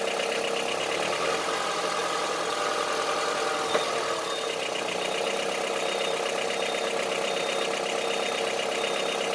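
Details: Honda CR-V III 2.4 engine at steady idle with a hard, diesel-like clatter about two to three beats per second; engine knock at idle, origin unknown.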